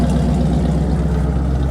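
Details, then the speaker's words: 1977 Ford F250 Camper Special with a 460 big-block V8, idling after an oil top-up: a deep, even, steady rumble with no knocks or misses, smooth and healthy. "Can't beat a 460 big block Ford."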